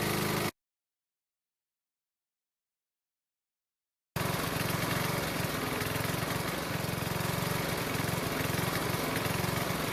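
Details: Honda mower that wouldn't start in spring after proper winter storage, now running after the fix: after a short gap, settles into a steady, even pulse with no misses; healthy.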